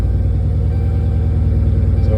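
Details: Dodge Charger starting and idling after P0340 camshaft position sensor A repair: broken connector with two broken pins rewired, sensor replaced; formerly slow start, now fires right up; good fuel pressure, oil pressure about 55 psi; steady even idle, no misses.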